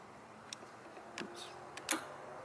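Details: Relay on the vibrator wiring of a mini 1–1.5 ton compactor roller, grounded and tested by touching positive: faint, sharp single clicks in a quiet room as power is applied; the relay pulls in normally.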